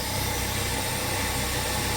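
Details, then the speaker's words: 1966 car that was spitting, sputtering and dying; carburetor float needle stuck open, freed by fiddling; after a few spits it fires and runs with a steady even drone; normal running. "okay well after a little a couple of little spits and sputters it did fire up and run it is running quite nicely"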